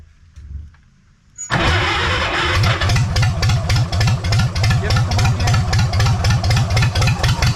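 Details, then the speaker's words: Farmall H pulling tractor after a pull, governor spring changed, started after tweaks: uneven lumpy chugging about four beats a second, still sounds funky and too much like a John Deere; misfire. "give still sounds a little funky to me something's off"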